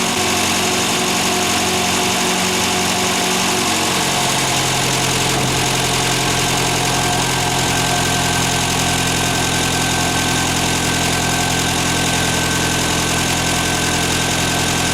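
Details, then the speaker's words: Ford Fiesta MK1 at idle after alternator bearing replacement, charging about 13.6 V and 13.2 V with lights on; a smooth, even hum with no alternator squeal, so the fault is fixed. "Como ya he dicho antes, no se oye ningún chillido que venga del alternador, por lo tanto el problema de los rodamientos le tenemos solucionado."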